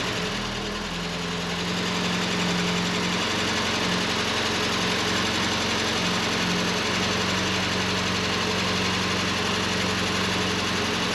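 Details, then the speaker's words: 1989 Volkswagen Cabriolet just started after sitting over 2 years, new engine wire harness fitted: steady, even idle, constant low hum, no misses or knocks; running fine with great oil pressure. "it sounds like it's running fine it's got great oil pressure"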